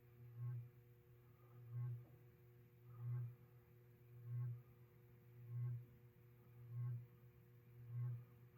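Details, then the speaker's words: 1989 Encon Premier Deluxe 36-inch three-speed reversible ceiling fan, new in box, running: a low hum swells and fades about 48 times a minute over the steady motor tone, from an uneven rotor-to-stator air gap. "the hum you're hearing on the fan is a unfortu with this thing where the rotor and the stator are not in true a spacing equal distance spacing all the way around so there is a spot where you can hear or it's either closer or further away which causes that rhythmic hum"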